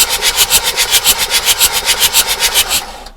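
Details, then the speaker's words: Abandoned Bedford CF2 van, diesel: steady, fairly even cranking at about three to four compressions a second, then it stops; the engine turns over freely and the oil light goes out as oil pressure comes up. "so we have turn you might not be able to see I can't see either but we definitely do have the Turnage"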